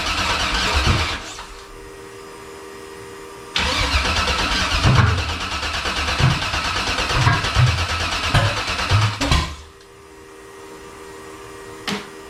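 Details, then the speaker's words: Factory Five 35 Hot Rod Truck, second first-start attempt after the fuel system sat long and dry: two bursts of starter cranking with rhythmic compression pulses, no catch. Fuel pressure holds high 50s. Cranks, won't start. "i wanted to catch but it's not"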